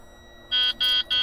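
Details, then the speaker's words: Truck with the key off giving three short high-pitched electronic beeps about a third of a second apart in a quiet cab; it happens sometimes and the source has not been traced. Unexplained beeping with key off. "no I have the key off what in the world is that noise"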